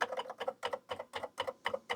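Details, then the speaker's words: Atari 8-bit computer after a bad connection was fixed, cover back on, running BASIC: crisp, evenly spaced double clicks about four a second with each keypress; key-click sound working normally. "Yeah, now we have a clicking keyboard, so that's great."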